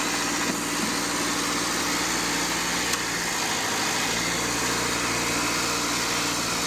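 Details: Car idling after new battery fitted to cure no-crank fault, alternator charging about 14.3 V; even, steady idle hum with fan whooshing on top, no knocks, ticks or stumbles, normal healthy idle.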